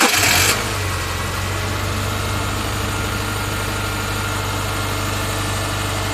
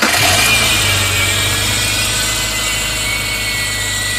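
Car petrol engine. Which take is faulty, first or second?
second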